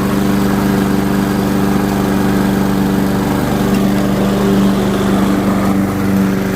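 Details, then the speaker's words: Curbside-found Weed Eater walk-behind mower, flywheel key previously broken by a blade impact, cutting with a steady, even engine note holding speed under load, no misses, knocks or surging; normal running, carb tidy, rinse and oil change planned. "we'll take it. Runs good. I think we'll give the carb a quick tidy and give her a good rinse and change oil, and away we go."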